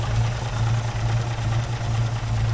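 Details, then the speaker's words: 1953 Armstrong Siddeley classic car engine fired up one last time before strip-down: low steady idle hum, even beat, no ticks, knocks or rattles; smooth healthy idle, kept brief to avoid overheating. "It sounds like a machine. What a lovely little engine."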